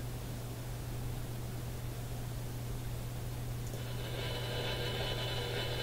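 Constant hiss over a low hum, then a buzzy whining band joins halfway; radio interference noise, source not pinned down.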